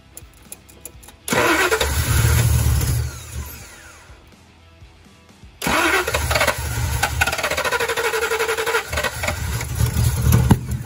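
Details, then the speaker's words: 1990 Ford Mustang GT 5.0 V8 (built 306ci), just swapped from EFI to a 4-barrel carburetor with Ford Racing intake and HEI distributor: cranks, fires, then runs lumpy with a wandering idle. Rough running; more carb tuning and timing needed. "Whoa. Well, it runs. Definitely a little more tuning, a little more timing,"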